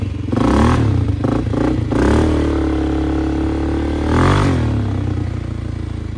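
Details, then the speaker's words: 2001 Polaris Sportsman 500 HO after flood repair, riding under load: single cylinder revs and settles through loud rasping aftermarket muffler, pulls cleanly, no knock or misfire; AWD works, fan cycling so cooling properly; primary clutch engagement delayed. "Well, she's running, driving, all-wheel drive's working, the fan's kicking on, so it's cooling properly."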